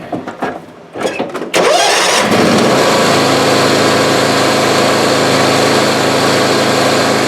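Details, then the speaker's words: John Deere X300 Tuff Torq transaxle after its worn input pulley and shaft were tack-welded; the engine starts and runs evenly with no clanking from the transaxle, which had previously clanked badly. "If you heard this before, it was clanking around really bad, but I'll start it up. Show you a fix."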